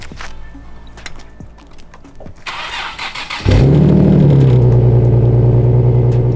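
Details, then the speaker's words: Nissan GTR R35 cold start in chilly weather: quick crank, then catches with a brief flare and settles into a deep, smooth, even idle; sounds as it should. "Take notes, VQ boys. That's how it's supposed to sound. Yeah. Nice, like, deep tone."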